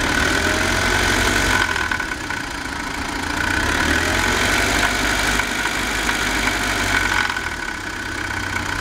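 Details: BMW 318i petrol engine with a rough idle that surges and dips every couple of seconds, with an irregular beat of about four a second.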